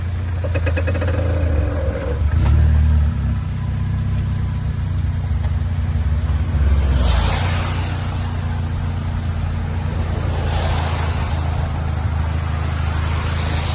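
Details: 65-plate Vauxhall Astra J VXR pulling away with steering slightly turned: dry creaking knocks under engine drone, absent with wheel straight; outer CV joints changed without effect, resolved by changing worn gearbox oil.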